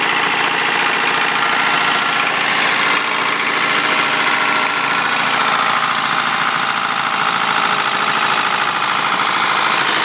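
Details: 1993 Honda Prelude, H23A1 petrol engine at idle: fast, metallic clattering tick running steadily over the engine hum; abnormal knock/tick noise, cause unknown.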